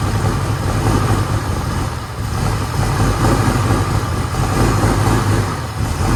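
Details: 1960 Corvette V8, first start in over 20 years after brake work and new plug wires, in neutral: low, even burble with steady firing, no knocks or ticks; engine sounds healthy.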